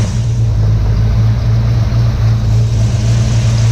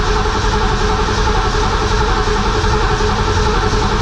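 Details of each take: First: 1967 Ford Mustang 289 V8 after rebuild, timing set to about 10 degrees advance, idling around 800 rpm, still burning off some steam; deep steady smooth rumble, no knocks or misses; runs and starts great. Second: 1967 Mustang 289 V8, first start after rebuild, timing not yet set. Long steady cranking, about 3.5 turns a second, never catches. Plug wires fitted clockwise but distributor spins counterclockwise, firing order reversed.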